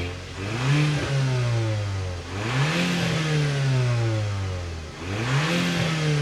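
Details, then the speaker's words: Audi S3 from auction, test drive after fault codes cleared, fresh spark plugs and intake hose redirected onto turbo: clean pulls through the gears, pitch rising smoothly and dropping at each shift, no stumble or popping. "You know what? I absolutely love the sound of this thing."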